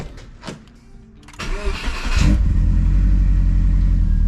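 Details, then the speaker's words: 2005 Subaru Outback XT, first start after a Stage 4 install (Blouch 1.5 XTR 10cm big turbo, Tomei unequal-length header, boost control solenoid lines rerouted), not yet tuned: brief crank, then an instant loud, deep, steady idle with no misfire. It is much louder than before and revs quicker. "Oh yeah. That header makes it much louder than I remember. It revs a lot quicker too."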